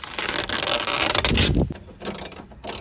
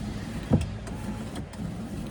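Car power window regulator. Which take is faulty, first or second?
first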